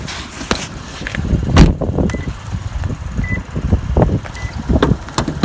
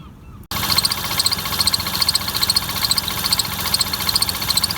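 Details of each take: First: Lexus IS250 with replacement engine just installed, warm at normal temperature, no check engine lights: a few clunks then steady even idle, no pulley noise, occasional faint squeak fading over time; normal idle. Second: Lexus IS250 replacement engine at first start, recorded in the engine bay: a fast, fairly regular high ticking chirp, a little over two per second, over a steady idle, caused by a bent crankshaft pulley.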